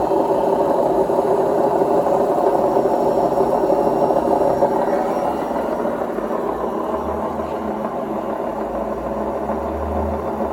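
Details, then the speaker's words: Indesit WIDXL126S washer-dryer found on the kerb, missing door parts, on spin: loud whirring roar with steady rattle and rumble, far too noisy; the drum bearings are badly worn. "spin please pick it up pick up the pace come on doesn't sound right at all"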